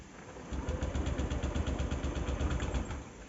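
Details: Honda Activa 6G scooter with check engine light, hard start and delayed pickup: starter cranks briefly, then low uneven putter catches and fades, struggling to idle; hard starting, cause not confirmed.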